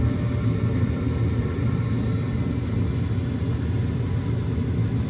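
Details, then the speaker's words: Attic gas furnace exhaust/inducer fan starting first on heat call to create vacuum before igniter glows: steady even low hum, no surging or rattle; normal inducer start-up. "As soon as you hear this one, this is already running very fast. It will create vacuum. You will hear here."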